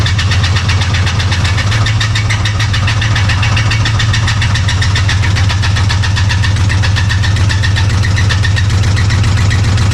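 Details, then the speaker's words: Chevrolet Silverado, suspected broken flywheel: heavy low rumble with rapid uneven knock over rough idle, quieting without throttle; knock sensor issue also noted. Engine knock, flywheel suspected, unconfirmed. "So, now you heard that noise and you notice it quieted right on down. So, uh as long as I wasn't putting any throttle to it and uh and then it wanted to run semi okay."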